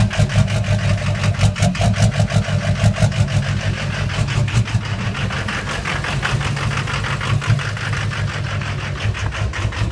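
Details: Engine idles rough and uneven with irregular stumbles about three times a second, missing on a cylinder; no black smoke, owner suspects a bad injector, not confirmed.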